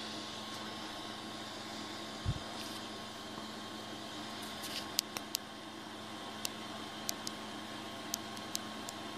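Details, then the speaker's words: Rostock Max v2 3D printer with the newly installed PEEK fan and shroud, running during PID tuning; quiet, steady whir with a faint even hum and a few light ticks, fan spinning smoothly with no rattle. "Let's get a look at that peak fan in action."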